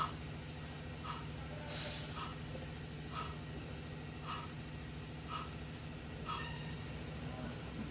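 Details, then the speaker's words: Toyota Foxy rear right wheel bearing: low rough rumble with scraping rasp about once per wheel turn, worn bearing causing humming at high speed; fix is replacing rear bearing. "kondisi laker roda sebelah kanan ngorok sehingga menyebabkan bunyi dengung ketika kecepatan tinggi"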